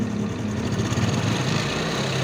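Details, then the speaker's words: Honda Supra X 125 engine idling and revved; rough fine metallic chatter, intermittent and louder on throttle blips, mild; suspected cam chain rattle, tensioner and chain to be checked. "bisa dengar ya cuma ini belum terlalu parah jadi bunyinya itu cuma kadang-kadang apalagi pas digas seperti ini dia Suaranya semakin jelas kendengarannya nah jadi saya akan coba cek pengencang kamret ya teman-teman tensionernya"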